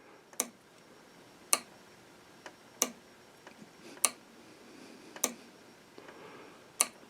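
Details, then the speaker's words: Model-railroad DCC layout: two relays driven by an LGB switch controller, manually toggled by pushbuttons, give crisp single clicks a few seconds apart as they switch the stop blocks that start and stop the trains; normal switching. "you can hear that relay shifting so those are the two relays controlling the uh stop blocks that stop and start the trains"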